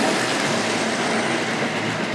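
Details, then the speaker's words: Two coupled Hornby Triang Dock Shunter model locomotives pulling eight wagons around the layout: an even, steady rolling hum with light wheel rattle and no stumbles. Running smoothly and healthily. "Yeah. Yeah, you can hear them purring along anyway."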